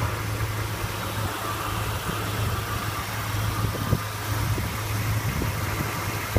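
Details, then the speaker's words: 1966 Ford Mustang GT fastback, 289 V8 at idle: deep, steady, even rumble with no misses or knocks; engine purrs, healthy. "We'll start her up. We'll have a listen to her. As you can tell, this motor purrs."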